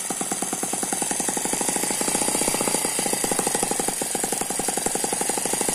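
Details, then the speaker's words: Eachine ET9 mini single-cylinder gasoline engine, dynamically balanced with twin internal counterbalances, running on a tarpaulin: quick even patter with thin high turbo-like gear whine; normal smooth running. "that's a very smooth running engine it does not dance around the main vibration here is because it's on top of this this tarpaulin you can hear that gear noise it sounds a little bit like a turbo"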